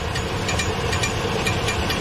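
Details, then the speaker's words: Chevy Silverado (title says 2013, spoken as 2003), customer complaint of oil leak and strange noise: light metallic tick about twice a second over steady idle, heard from underneath, where the flywheel seems to be hitting the starter. "starter right there see it the noise that noise that sounds like the fly is hitting the starter"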